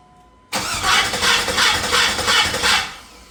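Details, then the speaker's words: 1986 Cutlass with LS swap, first start attempt after reinstalling correct torque converter for 4L60: starter cranks in quick even pulses, never fires; no spark, owner suspects crank sensor plug. "It won't start. It's not getting spark."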